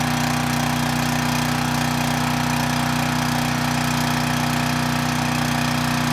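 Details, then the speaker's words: 6,000 watt Troy-Bilt generator, engine runs but previously made no power; after rewiring, running at governed speed with a steady, even drone and no knock, output only about 110 volts, low, so the AVR needs adjustment; low output voltage. "Well, the good news is we have power. We were at about 110 volts, which is low."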